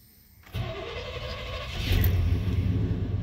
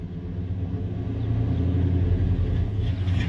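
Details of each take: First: Truck, dead-cold start: catches at once and settles into a steady low rumble with a slight rev lift. It starts and idles fine but runs badly with a little throttle, cold or hot; owner suspects the throttle position sensor, vacuum leak also considered. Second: Truck, engine dead cold: starts and idles fine, but with a little throttle it gives a deep, lumpy, uneven lope like a cam; owner suspects throttle position sensor, also considering vacuum leak or fuel pump.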